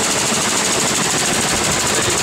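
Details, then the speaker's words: 1988 Ford Bronco II with a 2.9 L V6, running poorly with no power and high fuel use: rough, rapid popping and crackling, stumbling idle with heavy shaking, an engine misfire; a spark plug wire leak was found, with the fuel pressure regulator also suspected. "listen how awful that sounds and it sounds terrible"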